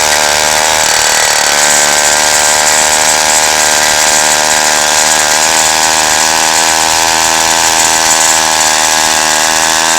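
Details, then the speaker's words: 1953 Zeiss two-stroke ice auger revived after a spark fix, drilling through ice estimated at over a foot thick: loud buzzy drone that briefly sags near the start; doesn't pick up cleanly, poor idle needing the throttle feathered, carburetor tuning suspected. "it doesn't idle as good as i'd like it to you got to feather the throttle a little bit right now so it needs more adjusting"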